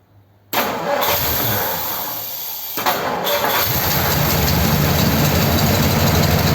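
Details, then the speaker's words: 1957 Ford Thunderbird with an original-type carburettor and float reinstated: catches into a lumpy, heavy, uneven idle. Running massively rich as fuel pours out the carburettor side; float level is suspected too high. "so why is it massively rich oh I think it might be coming out of the uh side hle"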